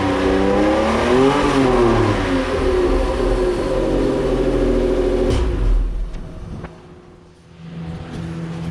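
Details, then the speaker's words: 1991 Toyota MR2 with a swapped Lexus RX300 1MZ-FE V6 and a new ECU: smooth, clean revs that settle back to a steady idle; it sounds healthy and needs only fine tuning. The owner suspects the alternator is noisy at startup. "that's what she sounds like so like I said I got to do a little bit more tuning to it not so much tuning but just fine tuning"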